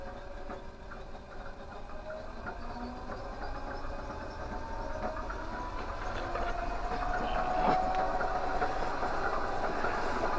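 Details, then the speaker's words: Winnebago LeSharo electric motorhome DC motor spinning up unloaded via control panel, resistor and contactor on: smooth hum climbing in pitch, no knocks or rubbing; troubleshooting no alternator volts. "now at the moment as you can hear that everything's just running as soon as that exciter coil kicks on the avr it will slow right down"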